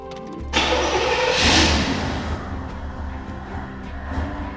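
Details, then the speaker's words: Abandoned 18,000-original-mile IROC-Z Camaro V8 after 30 years, fresh coolant and fuel, newly installed injectors: cranks briefly, catches cleanly, settles into a lumpy, even idle that sounds cammed, no knocks or misses; healthy start. "But it sounds good. >> It does sound good. Sounds like it's cammed."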